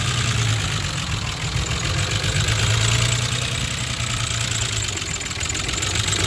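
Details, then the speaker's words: 2005 Ford Mustang 4.0 L SOHC V6, idling before lifter replacement: fast, uneven metallic tapping from passenger side muffled by plastic valve cover; hydraulic valve lash adjusters (lifters) ticking. "so that should have given you a good idea what the sound it's making it's a pretty distinctive knock sounds like metal on metal but it's being muffled by the plastic valve cover"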